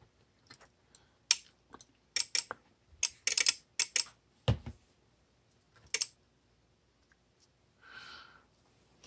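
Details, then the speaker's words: VXT-24 steam boiler water feeder on bench, water dripped on manual feed switch to simulate leak short: sharp dry relay clicks in irregular bursts, several per second, counter climbing, bypassing anti-flood protection; relay chatter. "so as this goes on what what will happen is this will start to count up saw their freaking geiger counter"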